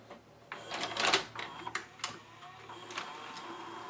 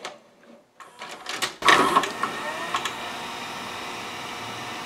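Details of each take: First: Sony SLV-740HF VHS hi-fi VCR after cleaning and relubing a gummed friction clutch that made it eject tapes: light clicks and short whirs as tape threads, then quiet steady play, stop and fast-forward; loading normally. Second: Sony SLV-740HF VHS VCR, cover off, before repair: clicks and clatter as the loading motor takes the tape in, then only a flat hum with no reel or capstan motion; likely a gummed friction clutch.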